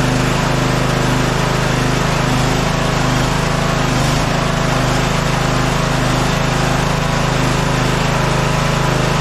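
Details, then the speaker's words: Scotts 15/42 lawn tractor, cold day, engine oil very low, after key switch and solenoid wiring repair: steady even buzzy drone, no stumbling or misfires; running normally while warming up. "I'm just going to run this for a little bit uh the engine oil is very low and you know I don't want to blow up the engine but I do want to get it hot"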